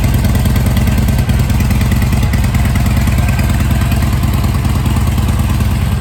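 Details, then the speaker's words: Harley V-twin after carb repair for a fuel leak, cold idle on choke: steady, even lope with regular firing and no knocks or misses; running really well. "Sounds like it's running really well. Let's put the choke in. It's cold."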